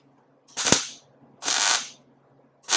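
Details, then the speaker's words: MIG tack welding a Nash Metropolitan headlight onto a 1956/57 COE truck body: three short crackling bursts about a second apart, each with a deeper, bassier sizzle than a snap because of the heavier wire. These are normal tack welds. "This just has like a little more bass to it. It's more like a than a snap."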